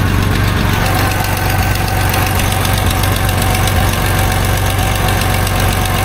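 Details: 1989 Dodge W100 at idle after exhaust pipe welding: loud idle with an uneven puffing tick, about two a second; suspected exhaust leak near the O2 sensor, not confirmed.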